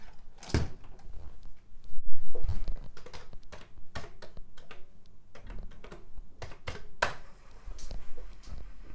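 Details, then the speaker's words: Commodore 1541 version 1 drive mechanism on a 1541C board with a disk inserted: irregular clicks and soft thunks as the heads step and the disk spins up, no grinding or repeated knocking; normal loading, board proven good. "sounds good so the drive spins up"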